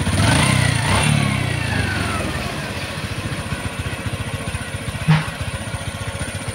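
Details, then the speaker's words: Honda XRM 125 Fi single-cylinder motorcycle after overhaul for engine knock, ignition wired direct; it revs briefly, then settles into an even, steady idle thump about four per second with no knock, running healthy. "Hindi na masama."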